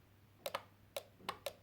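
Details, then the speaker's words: Jaguar X300 with a wiper fault, wiper relay bench-tested with power applied to its terminals 1 and 2: five crisp clean clicks with no buzz or chatter, so the relay is switching properly. "et là vous entendez ça claque donc il fonctionne"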